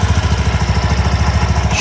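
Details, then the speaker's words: Mondial Fury 110i scooter idling after new exhaust studs fitted and exhaust reinstalled: quick even single-cylinder putter about eleven beats a second, no popping; previously made a puttering exhaust noise, now idles cleanly. "Aynen şu an sesi güzeldi bayağı önceden Pırpır ses yapıyor egzozda"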